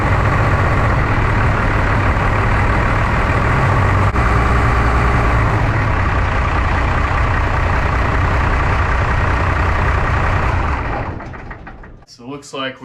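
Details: 1993 Dodge W250 with 5.9L 12-valve Cummins diesel, just after injector replacement: heavy uneven lumpy chug about four beats a second, then dies; rough idle from air still trapped in injector lines, lines bled afterwards.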